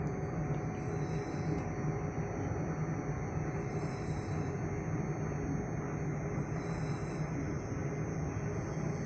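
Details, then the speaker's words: Johnson Controls T-8000 controller in a steam mechanical room: steady thin whistle near 700 Hz over low hum, growing louder; singing controller, not a concern. Separate ticking from a Spence regulator was fixed by replacing its diaphragm. "[Music] for that's the singing controller or the controller that's making a weird noise that doesn't really concern me a whole lot"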